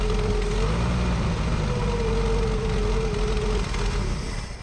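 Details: 1965 Ford F100 short-bed farm truck, first start after sitting about a decade: lumpy, uneven idle with a thin whistle over it until the engine dies down.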